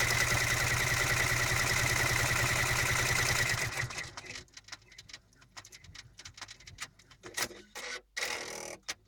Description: Brother PR 600 squeaking noise coming through when embroidering. Not all the time, but it is noticeable.